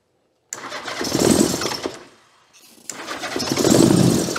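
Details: 1982 Honda GL1100 Goldwing, stored over 12 years inside and outside, first start after starter repair: carburetors so gummed the throttles won't open. It catches in two ragged surges, fading between them, and won't hold an even idle. Running on only a couple of cylinders.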